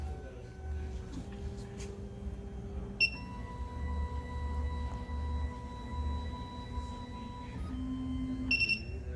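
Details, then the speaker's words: SEC-E9 key cutting machine, tool length measurement on the decoder side with automotive clamp: tracer goes down, checks level, comes back up; smooth motor whines rising and falling with a couple of short beeps; normal measuring cycle. "So what we're gonna do first is the decoder. We're using the automotive clamp, so we're gonna go with the first one to the left. And what it's gonna do is gonna go down, check the level on the tracer, and come back up."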